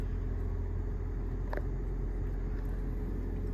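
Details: Lexus HS250h hybrid after it sat dead and needed a jump start for its 12 V battery: systems restarting with the air conditioning on. A low, steady hum with even rumble and no knocks or odd noises: normal hybrid running.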